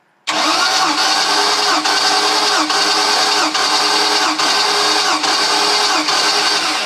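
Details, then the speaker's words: 2000 Mariah boat 7.4 L 454 MPI MerCruiser V8 after hydrolock, compression test cranking: even beats, no weak strokes; compression great, all cylinders 115–120 psi. "A little lower, okay. So compression is great on every single cylinder."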